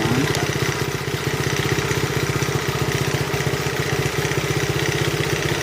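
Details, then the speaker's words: 1971 Honda CT70 single, nearly 50 years old, first running after restoration: quick, even putter at steady idle with no misses, knocks or hunting; valves starting to be faintly audible, needing adjustment. "Isn't that nice? Starting to hear the valves just a little bit, needing adjusting."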